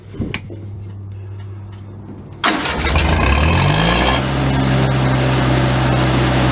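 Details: P.E. 197 generator, engine already warm, with a replacement oil-bath air cleaner and elbow fitted: starter whirs, engine catches and settles to a steady hum under load at 120 V AC, battery charging, good oil pressure. Normal.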